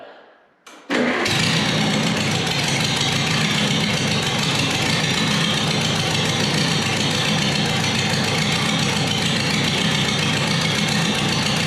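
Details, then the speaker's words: Multi-cylinder engine tested in neutral by pulling each plug wire: a rough, stumbling run that changes and cuts out, with arcs visible from the number one and number two spark plug wires; misfire from faulty spark plug wires. "okay you hear how it it changed and it actually cut off and I can actually see the arcs coming from number one and number two"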